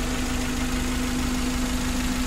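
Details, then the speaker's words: 2012 Suzuki Carry 1.5 injection after repair of an overheating fault with a corroded engine block: smooth, steady idle after almost 1 hour running. No longer overheating, coolant no longer spurting from the radiator. "dan mesinnya ini halus dan mesin ini Sudah sembuh teman-teman Sudah tidak mengalami overheat dan airnya itu sudah tidak meloncat lagi sudah tidak menyembur ke atas dia sudah diam pada saat kita hidupkan"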